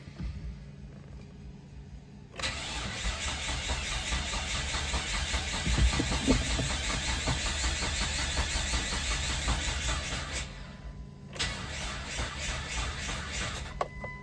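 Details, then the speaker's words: 2002 Mitsubishi Montero Limited, under 120k miles, weak undercharged battery: starter turns over slowly and labouring for about eight seconds, then retries, never fires; crank no start, cause undiagnosed. "Okay, definitely not doing anything, and that battery is not that charged, so it's a little cranky, pardon the pun."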